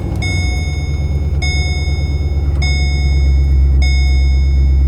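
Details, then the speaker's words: 2009 Holden VE Commodore 6.0L V8, warmed up, idling at 650–700 rpm: a deep, uneven lope with one cylinder dead. Engine and ESP lights are on; the misfire is later traced to a broken pushrod. "So you see the engine lights come on. We actually have a miss in the engine, and there's the ESP off light come on."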